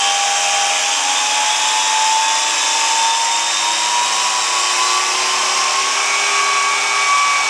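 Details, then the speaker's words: Rastar 1/14 Porsche 911 GT2 RS RC car on a stand, breaking in a new gearbox gear: high whine climbs slowly, rough and gravelly underneath; gear teeth bent, gearbox sidewall damaged. "well I think that gear didn't work yep sounds like the teeth bent"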